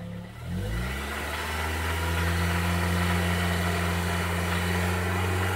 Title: Honda civic type r engine knocking